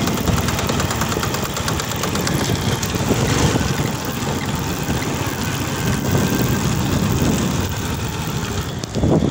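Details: Honda XRM110 motorcycle running in second gear; owner reports a helicopter-like noise in that gear. Rough, uneven gear-driven clatter over the engine note. Mechanic suspects a chipped second-gear tooth in the transmission; engine to be removed and opened to confirm.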